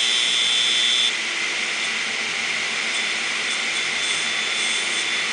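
A shrill, steady high whine over a harsh hissing scrape, with no spin-down: heads dragging on the platters, a crashed drive.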